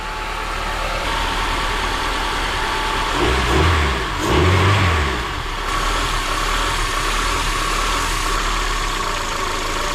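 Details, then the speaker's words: Turbo Honda Element K-series petrol engine with a new BullBoost intake manifold and billet throttle body, idling with two throttle blips and a steady airy hiss from an intake vacuum leak; no air control valve fitted. "we fired the car over with the intake manifold everything sounded good other than the vacuum leak which is right here"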